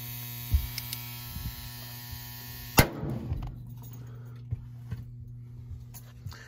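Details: York 80% gas furnace after new thermostat with C wire, failed to relight, flashing 6 (pressure switch cycle lockout): steady electrical hum, one sharp relay click, faint ticking from control board; main control board later replaced as defective.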